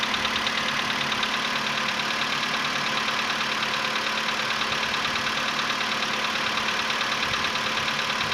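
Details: VW Polo Sedan CFNA engine, 105,000 km, cold start at 20 °C after sitting about 15 hours, before decarbonizing: light even tapping about three per second over engine hum, fading within a minute; cold-start piston knock.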